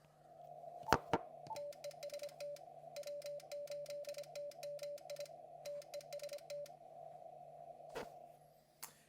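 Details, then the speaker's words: Hardrock 50 amplifier T/R relay after being damped, driven by a KX2 at fast QSK CW on 40 m: a quick, even run of soft, muted relay clicks over a steady tone; clearly quieter. "I can tell especially at the faster QSK it is much easier to uh you could tell the difference much better than you can at the slower speed. So, definitely made an improvement."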